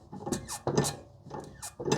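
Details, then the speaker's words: Squeaking from a worn, dry front upper wishbone bushing on a 2001 Jaguar XK8, heard as the arm bolt is turned by hand during removal before replacement with Powerflex polyurethane bushings. It is the same squeak heard while driving. Rubbery squeaks come in slow bursts. "this is exactly the kind of squeaking I was hearing as I'm driving along"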